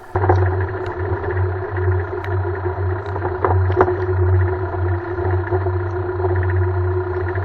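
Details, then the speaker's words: Car rolling over cobblestones: irregular clunks and rattles over a steady low road rumble; bushings were replaced first without curing it, and the knocking was traced to a worn steering rack. "momento de entraría en el empedrado es cuando empieza el golpeteo este golpeteo en particular tardamos algo en intentarlo porque en primera instancia pensamos que largo de la suspensión es entonces cambiamos algunos bujes aunque no se veían tan dañados los cambiamos el golpeteo continuaba"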